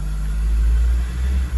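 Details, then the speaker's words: 2002 Acura RSX Type S, K20 engine, warm idle after a couple of minutes: low rumble swelling and sagging unevenly with a brief dip; hunting idle surge, idle air control valve being tested as cause. "But you see the pulsating now, right? Pulsating with an attitude there."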